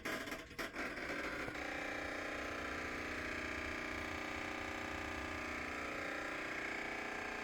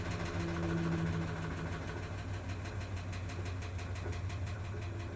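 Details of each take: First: Maytag MVWP575GW commercial top-load washer in service-menu test: loud clicking buzz when the actuator engages to shift into agitate, despite a new motor, belt, drive clutch pulley, actuator and control board; splutch or actuator still suspected. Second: Maytag MVWP575GW commercial washer after replacement of motor, belt, drive clutch pulley, actuator and control board: steady pump hum into an even motor whir with soft pulsing, no clicks; drain and spin normal, clicking occurs only at agitate.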